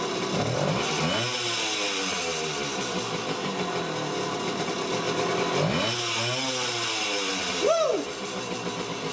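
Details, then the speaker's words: 1975 Honda MR50 Elsinore two-stroke, first cold start after new piston rings and crank seals, revved gently for break-in: a crisp, buzzy engine revving up and settling back cleanly. The carburetor was adjusted because of the bad seals and will be readjusted once warm; a normal idle. "runs good and it makes sense I had to adjust the carburetor because the seals were bad"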